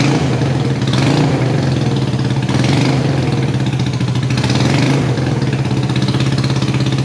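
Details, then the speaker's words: Salvage motorcycle revived, first running, fuel leaking: steady even twin-cylinder idle, meaty throaty beat, no misses or knocks; running normally. "oh my God T it lives it sounds meaty as hell she's throaty dude"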